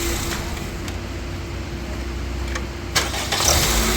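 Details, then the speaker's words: Honda Civic that cranked but wouldn't start because of a faulty starter; after fitting an original starter: short steady crank, engine catches and runs smoothly; clean start, fault fixed. "हो गया माशा्लाह जी गाड़ी हो गई okay इसका सारा शर्डर जो है वो खराब हो गया था जिसकी वजह से यह इशू आया है गाड़ी का और गाड़ी स्टार्ट नहीं हो रही थी"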